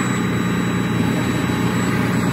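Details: 2009 Freightliner Cascadia diesel with about 1 million miles, after a good compression test: deep, even idle rumble with no knocks or misses, oil pressure about 69–75 PSI.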